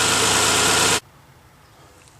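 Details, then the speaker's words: 1998 Honda Passport/Isuzu Rodeo petrol engine idling with the serpentine belt removed: a loud hiss cuts off, leaving a quiet even hum with no whine, pointing to the wobbly idler pulley's bearings as the whine source; pulley to be replaced. "got it fired back up again without the eye but without the serpentine belt it's just the motor running so it's pretty quiet now so it's got to be uh the idle pulley so we'll take it off and get a new one"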